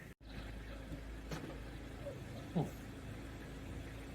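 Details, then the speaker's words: 2017 Mazda 3 Sport, 6-speed SkyActiv automatic, right after fluid and filter change, warmed up: steady idle hum then one dull thud as it slams into gear; clunk occurred only the first time. "Kind of slammed into gear, didn't it? >> Did you hear that again when I >> Yeah. >> it in that's neutral. When I pushed it from drive to neutral, did you hear that clunk?"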